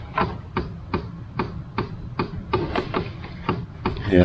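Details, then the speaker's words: Jeep on a key-on test after an engine and transmission swap, fan on and set to heater but the blower not running; regular clicks about 2.5 per second from the dash; blend door suspected, trying to switch over; clicking from dashboard. "Yeah, it sounds like maybe the the blend door or something is freaking out."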